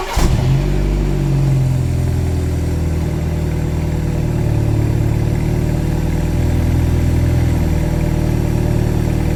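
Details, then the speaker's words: Used BMW G-chassis car started cold during a pre-purchase check: steady, even low rumble with no ticking or extra rattles. Sounds healthy, running smoothly from a cold start. "So you go ahead and start it up and make sure that everything is running smoothly from a cold start. There's no extra rattles"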